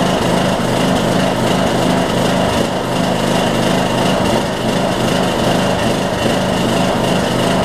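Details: Troy-Bilt Bronco, Briggs & Stratton 18hp Intek single with Chinese Nikki-copy carb, cold start at no-load idle, speed hunting unevenly; lean low-speed jet causing surging, to be drilled out.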